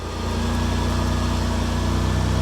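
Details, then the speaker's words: Car at a salvage auction: engine comes up and holds a steady, even idle with a deep, smooth exhaust rumble and no misses or knocks. Normal idle. "that exhaust sounds good it does"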